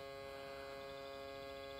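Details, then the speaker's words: Isuzu Trooper/Holden Jackaroo with 4JX1 engine, after a new aftermarket alternator: the blue relay buzzes steadily with a low transformer-like hum, only with the key on before starting and not once running. "it only does it when you turn the key on just before you start but once the vehicle is running it doesn't buzz sounds like a mains transformer station or a major power generator"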